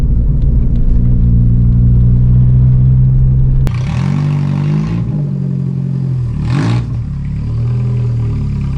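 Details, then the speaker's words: Mk2 VW Jetta four-cylinder with muffler fallen off and torn up: loud droning rumble that booms on a blip and settles, pops and bangs, raw unmuffled note. Loud open exhaust, mufflers missing. "It's fun for like 30 seconds, little pops and bangs, but it's so loud and drony and just obnoxious. It's gotta go."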